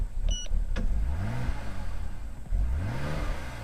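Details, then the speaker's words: BMW E60 (Copart car) on replacement eBay ECU: two quick blips rise then sag sharply on throttle close, nearly dying each time; cam sensor found plugged in but not clicked home, backfire persisted afterward. "Rev's good, but it dies coming back off."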